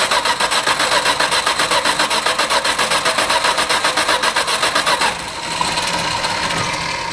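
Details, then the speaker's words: Old Valiant revival, leaking carburetor, wet intake: steady starter churning about four turns a second for five seconds, never catching; cranks but won't fire, cause unconfirmed. "I'm going to see if it even tries to light off. So we'll turn the ignition on again."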